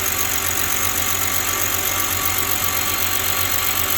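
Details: BMW just started after replacing leaking cylinder 2 fuel injector that caused misfire: steady, even idle with only slight unevenness and no stumbling misfire; injector now dry.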